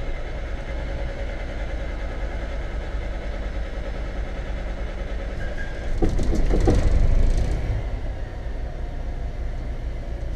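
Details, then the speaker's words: 1991 Tioga Class C motorhome onboard generator, started during a mid-winter inspection after a worrying hesitation. Brief surge as it fires, then a constant low drone with no hunting or knocking; running normally. "Ooh, had me worried there for a minute, but she's cooking. She's doing well."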